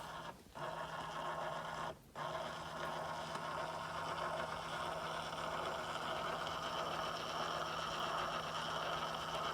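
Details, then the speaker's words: 2015 Tesla Model S driver's door handle fails to pop out while the other three do; microphone held up close to the door; steady low motor hum continuing while the car is off, parked and locked; handle motor not shutting off. "the other three handles pop out but this one doesn't and it's making a bit of a noise"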